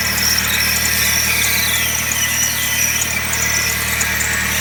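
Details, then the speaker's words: Suzuki SX4 manual at idle: loud, steady high-pitched squeal from the serpentine-belt accessories, first suspected to be the water pump; stethoscope traced it to a failed idler pulley bearing. "okay so it's not the water pump this is the idler pulley"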